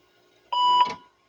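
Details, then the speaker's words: IBM PS/1 Model 2011 (1991) restored with new hard disk and IBM PC DOS: a single clean mid-pitched beep of about a third of a second at power-on; normal startup beep. "Do you want to hear the ignition sound? ASMR?"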